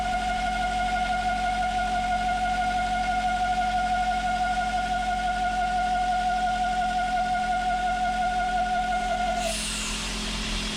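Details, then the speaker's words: 2000 BMW E39 540i at idle with crankcase ventilation (CCV) valve bottom port plugged: shrill whistle over smooth idle nine seconds then cuts off; failed CCV vacuum whistle, also rough cold idle and oil-cap suction, before replacement. "I'm going to start the car up here shortly and then plug the poor at the bottom of the CCV to initiate that whistling noise and that vacuum that is characteristic of a CC V failure"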